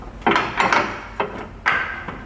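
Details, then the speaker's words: Hyundai i30 front suspension worked: four dull creaking clunks from worn subframe bushings, to be replaced. The control arm bushings were still good and only needed cleaning of accumulated dirt. "não sei se a câmera vai pegar ainda mais barulho aqui ó então nós vamos substituir essas buchas agregado pessoal"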